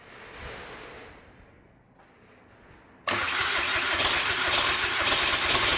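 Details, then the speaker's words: VW Caddy 2K, first start after swapping in a 2.0 BKD engine, no downpipe fitted. Quiet cranking, then the engine catches sharply and settles into a loud, even, unmuffled idle with no knocks or misses. Normal start and idle. "so that's a van done dusted engine runs that's good obviously I didn't know anything about this engine sounds good"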